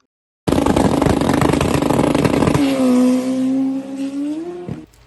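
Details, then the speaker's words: Drag pass on alcohol Fueltech map, first pass off trailer on low boost: soggy launch, tail drops, engine note climbs slowly and hangs flat through long first gear, no power after timing pulled at the hit. "then you can hear how long first gear pulls out it's uh it's just not making any power at after had uh pulled timing at the hit"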